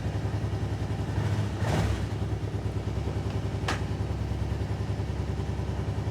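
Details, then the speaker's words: 2008 Kawasaki Brute Force 750i V-twin ATV at idle after belt clutch deflection shimming: steady even rumble, no squeal from the belt clutch area; normal. "no squealing out of the uh clutch area beautiful gaag is nice think we got her that time"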